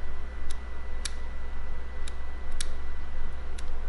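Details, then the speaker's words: Friden STW-10 mechanical calculator, catch bars removed and carry actuated by hand: crisp light clicks once or twice a second over a low mains hum, a healthy carry ratchet catching cleanly, unlike a stuck one elsewhere. "I remove the catch bars here, and I can actuate it by hand. And you can hear it, there's a little ratchet."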